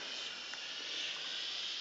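A steady, high, airy hiss with no rhythm, like water escaping under pressure through tiny holes; a pinhole leak in the pipe.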